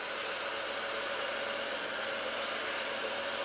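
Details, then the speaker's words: Ford BA Falcon after power steering pump and reservoir refit and fluid top-up, steering at full lock: steady hissing whine and shudder from air being pulled through the pump. "Oh, and I can feel it shuddering. And that's air being pulled through the pump."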